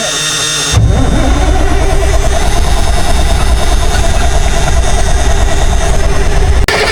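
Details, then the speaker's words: 1962 Kenworth W925, Cummins Big Cam diesel, sat 18 years. Heavy cranking at about three turns a second without catching. It is fuel-starved: the return line is dry and the filter is not pulling fuel. "I'm manually opening the fuel to the shut off solenoid to make sure it's getting fuel."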